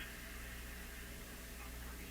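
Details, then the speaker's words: Addison 5-tube radio with a steady low mains hum and faint hiss; the hum is suspected to come from the volume control, a sensitive spot that the power cord runs right past. "The hum is coming because there's something going on here."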